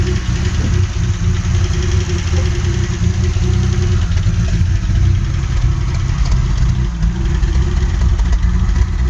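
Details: 1984 Alpina B6 with 2.8-litre M30 six-cylinder petrol engine idling with a deep, uneven note, stumbling as it misfires; cause not yet found.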